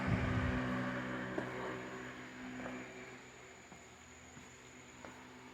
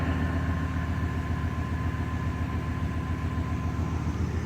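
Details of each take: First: 1990 Chevrolet 1500 5.7L 350 TBI, about 300,000 miles, first start after replacing fuel injectors for rough running and smoking: after a few clicks the V8 catches abruptly and runs loud and steady, with some smoke at first. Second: 1990 Chevrolet 1500, 5.7L 350 TBI, 291,000 miles, just started after fuel injector replacement: steady low V8 idle with an even beat and no stumble. It runs smoother than the earlier jerky idle but still smokes; the injectors weren't the fix and the cause is unknown.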